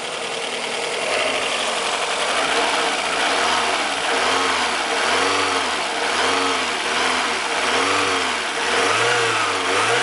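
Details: Fiat Brava after fine adjustment of the timing belt tensioner to cure an engine noise: engine climbs and drops through several smooth blips, pitch rising and falling evenly with no tapping or chatter; the noise appears resolved.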